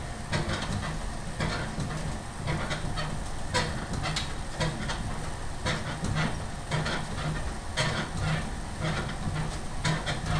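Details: Freemotion 510 elliptical in use: rhythmic scratchy squeak about once a second with each stride, like a dry pivot or bearing; cause undetermined.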